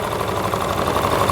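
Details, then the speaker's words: Honda Lead AF20 two-stroke scooter idling right after its first start following an engine overhaul, warming so the auto choke closes, carburetor not yet adjusted: a fast, buzzy rattle from loose front plastic panels vibrating over the idle. Body panel rattle. "Брощить пластик спереду. На фонді ляд не буває, щоб не брощало щось."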